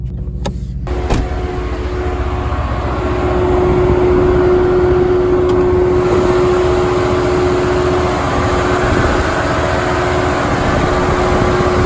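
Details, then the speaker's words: 2018 Mercedes-AMG C63 S with a punctured, coolant-leaking radiator, transmission temperature reaching 258: a loud, steady humming, vacuum-like cooling fan drone continuing after shutdown as the car overheats. "I'm sure you're gonna be able to hear that humming / vacuuming fan sound that is very very loud"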